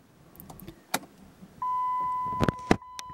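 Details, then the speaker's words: 2006 Dodge Grand Caravan after front-end accident, new battery fitted and torn airbag sensor wires repaired; key on gives steady chime, red dot light stays on, starter gives only a click and no cranking; no-start fixed by replacing and VIN-programming the PCM. "lights up just like you would expect however the red dot light right there never goes away and if we try to start it we hear a little click then I let back off the starter"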